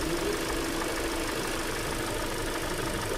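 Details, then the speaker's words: 2015 Kia Optima, G4ND engine, 170,908 km, slightly warmed after driving, at idle: faint dull piston knock, said to be worse cold, plus oil consumption. Cylinder scoring is suspected from overheating; the catalytic converter was removed. "давайте заводим послушаем стук поршней присутствует он пока ехал чуть нагрелся"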